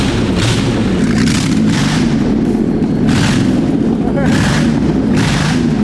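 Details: Holden VT Commodore left for years in a paddock, engine freed after being locked up: a low, steady drone with regular whooshing surges about once a second, firing and running on its own.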